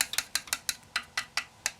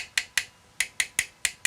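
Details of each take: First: Tapping the radiator of a water-cooled PC in an old HAF 932 case after filling and priming a new reservoir: quick light finger taps with a slightly hollow ring, an air pocket still trapped. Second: Tapping the radiator of a water-cooled PC in an old HAF 932 case after filling and priming a new reservoir: eight sharp, bright taps, none ringing hollow, so the radiator is full of coolant.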